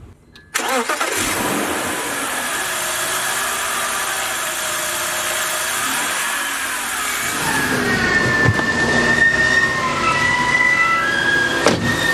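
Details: 2000 BMW 323i after replacing the screaming idler pulley and belt: engine catches quickly and settles into an even idle with no squeal or chirp from the belts, music in the background; running normally.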